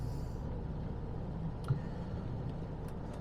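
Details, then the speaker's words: Jaguar XJ6 daily driver on its first drive of the year after misfiring, worst around 1500 rpm: now a low, steady drone pulling cleanly at about 1400 rpm, no stumble and no heater core noise. HT leads were later found soaked in coolant. "I don't hear any noise from the heater now's core now as well so um that's good okay we're at 1400 now let's pulling cleanly"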